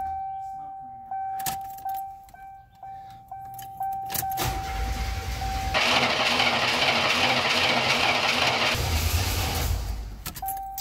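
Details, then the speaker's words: 1987 Buick Grand National, sat over 10 years, first start after replacing the gas tank, fuel pump, sending unit and lines: the pump is heard priming, then the starter cranks steadily about three seconds but the engine never catches; crank, no start. "First time start, keys are in hand. I can hear the pump come on. Come on. It's not wanting to start."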